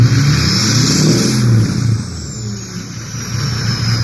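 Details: Ford 6.0 diesel with VGT reading stuck at 0.84, warming up: deep rumble rising with each rev, faint clean whistle over it, no scraping or squeal; healthy turbo spool.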